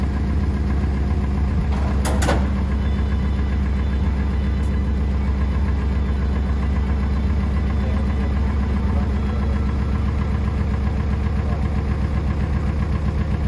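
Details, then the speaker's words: International Scout 80 (1963–65), sat over 10 years, revived and driven; not all cylinders seem to fire: deep, uneven idle rumble with loose irregular puffs; owner says something's funky about the exhaust, maybe the motor, uncertain; temperature and oil pressure came up. "Cause it could, there's something funky about the exhaust, but like, I don't know, could be the motor, but temperature gauge came up, oil pressure came up."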